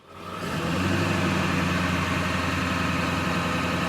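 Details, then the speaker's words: 2002 Ford F250 7.3 Powerstroke diesel, glow plugs cycled, high idle control engaged (activated via parking brake, foot off brake): steady even diesel clatter at raised idle, no misses or knocks; normal high idle. "I notice I'm not my foot's not on the brake and we have a nice high idle"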